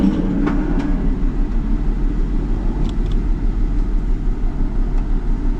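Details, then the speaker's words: 2004 Ford Mustang with a one-piece coil assembly, running rough with the check engine light on after ball joint and front-end work: uneven, lumpy idle; power balance test shows cylinder 2 misfiring, suspected spark problem; misfire at idle. "Ooh, it's running bad. I probably shouldn't run it too long here."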